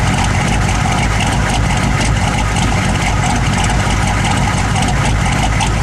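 Loud, heavy idle with an uneven low pulsing about twice a second, the beat wandering rather than even, a rough idle. Cause suspected, not confirmed.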